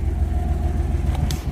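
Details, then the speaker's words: Engine with 265,000 miles, just started; brake and anti-lock lights are on (possibly front hubs), and the transmission is a concern. Steady, even, low rumble with no knocks, misses or ticks: the idle is good. "Let's see if she got any juice. She runs. Idle's good."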